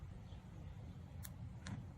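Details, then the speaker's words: Car key fob after cleaning its dirty battery contacts, contact resting in place: two short, sharp clicks about half a second apart as the doors unlock and lights flash; the fob works normally. "Yep, I heard it unlock and the lights flashed. So that tells us that the key fob does in fact work."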